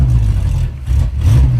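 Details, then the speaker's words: V8 car being driven that had been running rich the whole time, with plugs fouled ("100% wasted") and no spares: a lumpy, uneven, loping beat like an air-cooled VW with no power, running cooler; two cylinders misfiring. "Oh, it sounds like a Volkswagen. I was gonna say the same thing. We got a Beetle. That sounds exactly like a Volkswagen air-cooled. Yeah, runs about as good as two."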